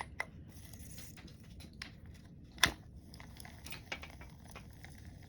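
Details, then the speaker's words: Zebco Red Rhino spincast fishing reel, handle turned: faint dry whirr broken by occasional sharp clicks as it skips; gear tooth chipped when a rag jammed between the gears slipped during rotor removal, reel needs a new gear. "yeah definitely has a damage gear and uh can't find any"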